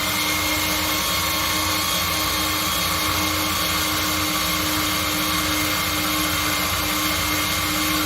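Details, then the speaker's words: Dodge A100 (A108) van that sat for years without running, cranked with a remote starter at the starter while watching the oil light: a steady, even starter whine with no firing. It turns over freely and shows about five pounds of oil pressure. "all right we're gonna jump the starter so we can watch the oil light we got us a remote starter motor boat starter here"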